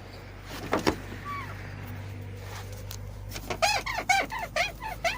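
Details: Daewoo Lanos/Sens with new silentblocks and shocks, squeak from the rear of the cabin: sharp creaky squeaks about two a second as the rear seat moves, from a dry seat guide bushing; fixed by removing the seat and lubricating the guides.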